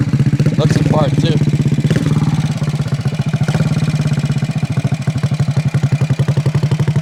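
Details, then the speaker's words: 1968 Harley-Davidson (Aermacchi) 250 Sprint single, complete frame-off mechanical restoration, after stone-cold start: crisp, even thump about four beats a second, steady low exhaust note, no knocks or rattles; runs beautifully, normal running. "Sounds like a little road racer. Sounds freaking awesome. Baby, this thing runs beautiful."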